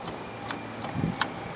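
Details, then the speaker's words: 2007 GMC Envoy stuck in park, after shift interlock solenoid repair: sharp light clicks about every 0.4 seconds over faint hum when brake lightly touched; solenoid engaging normally. "if you listen hear that clicking noise that means it's working you don't take it just barely touch the brake pedal it should engage and then right right away you can push that in but without engaging the brakes"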